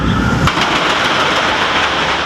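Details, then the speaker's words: Roller coaster standard mechanical friction brakes with a train braking on them: loud hissing, scraping roar as the train hits the fins and slows steadily; normal brake engagement. "et enfin des frais en pleine action avec un train qui freinent dessus ça fait énormément de bruit"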